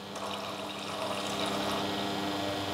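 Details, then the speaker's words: La Marzocco Linea Mini (custom Specht) after annual service with new safety valve, anti-suction valve/shaft and steam valve rebuild: steady low pump drone under running water during extraction pressure test, gauges reading just over and just under 9 bar; normal pump operation. "all right so that says nine bar there just over and this is just under nine bar so that's perfectly fine we're definitely close enough"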